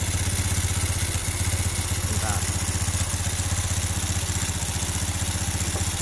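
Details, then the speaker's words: Carbureted Honda Revo Absolute/Blade single at idle during carburetor adjustment; the air screw is turned fully in, then backed out. It gives an uneven, lumpy pulse about four per second, sagging as if about to die. Rough idle from the air screw being misadjusted. "Nanti kita dengarkan suara paling tinggi ketika baut setelan angin ini kita tarik lagi keluar. Nah, ini seperti yang mau mati ya."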